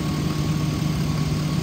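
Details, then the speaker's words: 2005 Hummer H2 4x4, 6.0L V8 with 72,000 original miles and a transmission that engages no gear, warm after nearly an hour of running; steady smooth low rumble with no misses or ticks, revs up nicely; normal idle. "the motor sounds good I've had it running for almost an hour it idles smooth and revs up nice"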